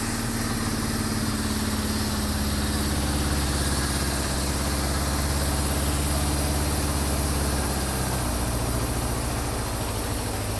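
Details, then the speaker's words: Honda CB550 four-cylinder after carburetor sync: even, steady burble with deep smooth beat, no misses or hunting; idle now adjustable, indicating carbs synced and balanced. "so as you can hear the idle is adjustable now I can put it down as low as like 5 00 all the way up to 10,000 if I wanted so that's a good way to know that the carbs are now synced"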